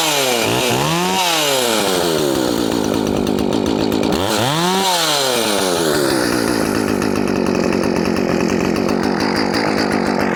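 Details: Poulan Farmhand 2500/2900 chainsaw, chain swapped from 3/8 low profile to .325, fired on choke and cutting: crisp two-stroke blips, then steady high-pitched scream under load; clean, healthy running.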